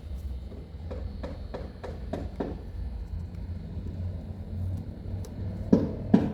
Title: 2022 Mitsubishi Outlander rattling sound on cluster